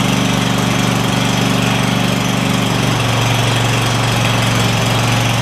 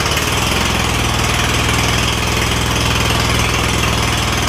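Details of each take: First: Craftsman DYS4500 lawn tractor, Kohler Courage V-twin, after swapping the 12V ignition module for traditional coils and fitting a new spark plug: a steady, even low drone that holds speed with no surging, with a brief speed change near the end; normal running on both cylinders. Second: Craftsman DYS4500 lawn tractor, Kohler Courage V-twin with failing 12V ignition coil system and trashed wiring: loud, lumpy, uneven chuffing with no smooth rhythm; one cylinder dead from no spark, started to test drive.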